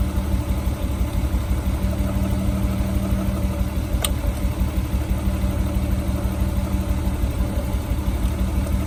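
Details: Nissan Skyline R32 drift car that stopped performing at a drift event: a lumpy, loping idle with an uneven pulse about three per second over a low drone. The engine is misfiring.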